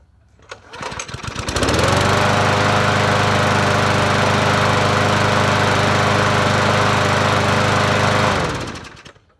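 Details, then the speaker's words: Murray 20-inch push mower, 4.0 HP (20415x8D), primed on a cold day: catches after a couple of pulls and settles into a steady, even run with no misses or surging, then shuts down cleanly; normal running. "Sounds good."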